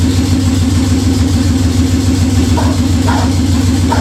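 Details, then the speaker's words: Budget Beater Chevelle, distributor re-timed. It holds a high, steady, even idle and won't settle. Fast idle; the owner suspects the old stuff being used, unconfirmed. "i think it just wants to go fast pops don't want to shut off i don't want to do nothing probably using that old stuff"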